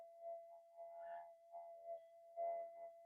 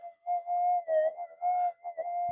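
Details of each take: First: Minelab GPX metal detector on the bench with the threshold turned up hard. A steady, clean threshold tone holds level with only faint background murmur and no chatter; quiet, stable detector. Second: Minelab GPX metal detector on the bench, factory default settings, during a frequency scan for lowest noise: steady mid-pitched threshold hum that wavers and drops out; unstable noise, source unknown, possibly household interference.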